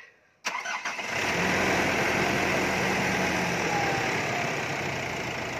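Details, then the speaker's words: 2021/2022 Nissan Navara diesel right after an oil change with 10W40 polysynthetic diesel oil at the 5000 km service: brief crank, quick catch, then steady, even diesel clatter at idle with no knocks; normal start and idle. "Start na natin ang engine ng 5 minutes at susukatin natin mamaya ang oil level. Engine start."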